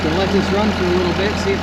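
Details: 2005 Ram 2500 diesel idling after the FASS lift pump and leaking fuel lines were replaced, with no fuel leaks found: a steady, even, low drone with no knocks or misses. It sounds good and runs pretty even, a healthy idle.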